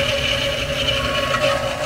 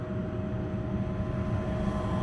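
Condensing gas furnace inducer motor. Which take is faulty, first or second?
first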